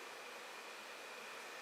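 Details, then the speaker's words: Two Phanteks 140mm 12V fans in parallel on variable 12V supply, mounted to cool Creality Ender 5 Plus heat bed: soft steady airy rush with no ticking, rubbing or wobble; both fans spinning smoothly. "so as you see both fans are turning the wide in parallel here going off a 12 volt variable power supply unit"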